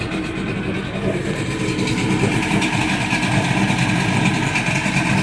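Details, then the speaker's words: Evinrude 150 outboard run in a barrel after a hard cold start that needed a little throttle: settles into a steady two-stroke burble and picks up slightly with throttle, sounding healthy. "so um that was the cold start to it like um like you can see in the video i mean it took several times i actually had to end up giving a little bit of throttle this time"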